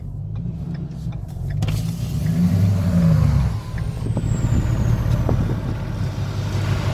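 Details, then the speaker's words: Pickup truck stuck on a hill: engine revs with a churning roar while the tires spin and the truck never pulls; four-wheel drive not engaging even though the hubs were found locked, cause unknown. "I'm stuck on a hill there's something severely wrong with my four-wheel drive"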